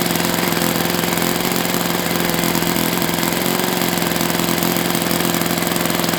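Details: Enya 46-4C model four-stroke with air bleed carb on the bench, run at 74°F in humid weather; loud steady buzz turning a prop, slightly rough and uneven firing, suspected a touch rich; owner may open the air bleed.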